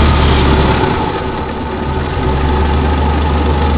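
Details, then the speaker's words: Diesel truck running homemade biodiesel idling with steady even clatter, no hunting or surging; idling fine. "see that now it's idling fine"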